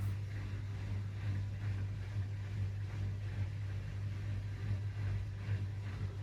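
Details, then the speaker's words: Samsung EcoBubble washing machine after cleaning coin basket and pump filter, on a rinse/spin check cycle with little water; steady low hum with slightly rough churning edge as pump pulls air; normal drain pump operation. "Well, it's actually pumping now. I can hear it, but it's charging because there probably isn't enough water to push out."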